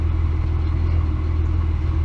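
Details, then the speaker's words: 1999 Ford Explorer 4.0L SOHC idling in closed loop: low, heavy, uneven lumpy rumble; long-term fuel trims about 20% on bank two, lean condition; owner suspects vacuum leak or fuel delivery problem; rough idle. "you can tell it's running running pretty bad it's got a rough idle you can tell right away my bank to long term fuel trims is like 20% so that's that's pretty high"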